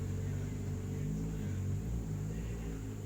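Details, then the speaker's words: Refrigerator compressor drawing high current (0.9 A) even after its PTC was swapped, smoke coming out, suspected overheated; before a capacitor is added. Heavy, steady low hum with a rough pulsing drone: airflow strong but very loud, cause not confirmed. "Kalau saya melihat dorongan anginnya masih sangat-sangat bagus, masalahnya suaranya keras banget."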